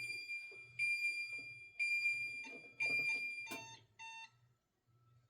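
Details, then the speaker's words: Safe House 49-485 security panel armed away after exit delay expired, zone tripped: high, piercing beeps about once a second with armed and delay LEDs flashing as the entry delay runs out and the panel goes into alarm. "Let's go ahead and trip that. Now you hear it beeping. You see the armed LED is also flashing and the delay LED. And now we're in alarm."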